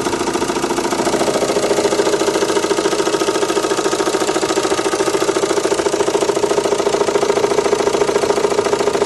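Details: Renault Megane 2 1.9 dCi diesel: sharp, very regular knock about two per second at idle over the clatter, disappearing when revs rise, with slight vibration; source unknown.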